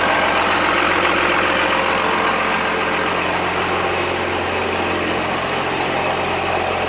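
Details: Cummins-swapped squarebody Chevy diesel truck idling after installing dual plastic fuel tanks on a single filler neck; smooth, regular clatter with no hunting or misses, not lacking fuel, though it later chugged to a halt and the owner wonders about fuel supply.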